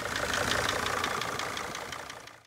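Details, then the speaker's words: Mercedes Sprinter van engine at idle: a sharp, evenly spaced knock ticking through the idle, counted with slow-motion phone recording and fading as the engine winds down. The cause is not yet diagnosed. "by using the slow motion feature of our new phones we can get a better listen to the engine and count the one two three four five"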